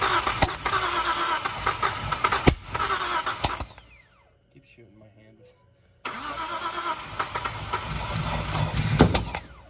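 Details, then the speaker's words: Nissan 240Z with freshly installed L28 engine and 280ZX five-speed: rough uneven cranking and stumbling run with sharp pops and backfires, then cutting out; timing possibly needing adjustment. "it's not gonna fix that it will it won't that's the reason why it's backfiring"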